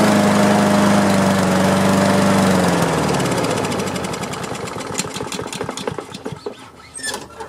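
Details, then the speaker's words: Free Craftsman self-propelled push mower, before repair: runs unevenly on choke, then sags and dies into sputtering pops; rough running, needs carburetor cleaning. "Well, it's cranking. It looks like it just needs a little carburetor cleaning."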